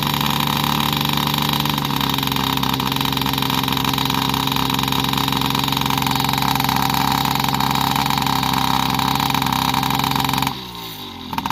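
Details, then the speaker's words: Yamaha PW50 two-stroke after 5 years' storage, with aftermarket carb and cables: steady muffled idle with a soft, rich, lazy note that never cleans up, because the too-short aftermarket choke cable held the choke always on. The fix was refitting the OEM cables and carb. "the other problem was the choke cable that goes up under there was too short as well so the choke was always on no matter what you did"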